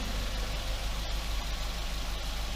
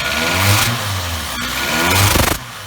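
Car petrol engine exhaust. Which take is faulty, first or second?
second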